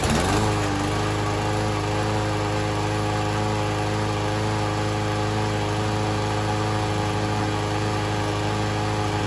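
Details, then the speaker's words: Troy-Bilt TB110 push mower with a Briggs & Stratton 550E engine, after new oil, fuel line, spark plug, ignition coil and starter rope, running on fresh gas. A steady, even single-cylinder putter with no misses; running pretty well, not quite 100%. "All right, this lawn mower is working pretty good. So, I'm going to call this job finished. The motor's not running 100%, but it's running pretty good."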